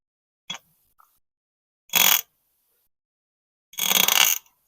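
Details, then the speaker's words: Sawmill shaft turned slowly by hand gives slow, irregular creaks and squeaks; owner believes a bearing, likely the front one, is dry or worn, to be confirmed by pulling it off. "but when you turn this really slow you can hear creaking sound and that creaking sound is definitely a baring"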